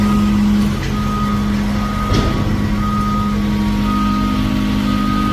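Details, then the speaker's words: Dump trailer telescopic hydraulic lift raising nearly 5 tons, battery weak after two weeks sitting in cold without charging: steady strained hum with a higher thin whine on the narrow cylinder stages; pump struggling, then battery died. "I can definitely hear it whining now it's not liking on the skinnier cylinders"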